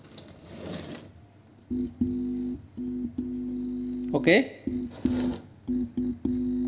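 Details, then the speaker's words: HVN active subwoofer speaker (old model, USB/SD, 5 outputs) after replacing the TDA2050 subwoofer amplifier IC, which previously only hummed: short low buzz bursts only when the input is touched, silence otherwise; hum fixed, amplifier normal. "Oke sepertinya berhasil tidak ada suara dengung dan kita pegang untuk inputnya ini di sebelah sini"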